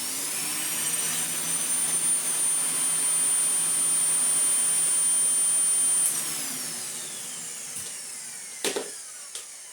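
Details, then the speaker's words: Mouldy Dyson DC04 Zorbster vacuum stored two years in a shed. Its motor whine is lower-pitched than normal, then spins down. It runs slow because a missing bin piece fails to hold down the button for full 230 V operation, and it may also sound rough. "without that piece there that's why it's running slow you see we've got to we've got to stick that button down so it runs until it's full 230 volts"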